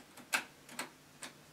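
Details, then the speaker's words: Boxed Lasonic TRC-975 cassette deck in play mode; three crisp ticks about half a second apart from the tape transport as it won't stop, and the tape later gets stuck; cause not pinned down. "well now it's in play mode oh it won't stop oh good creep"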